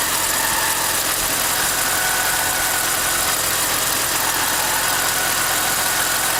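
A thin, steady whine sits above a constant idle with faint chirps mixed in; the source is not clear from the sound alone.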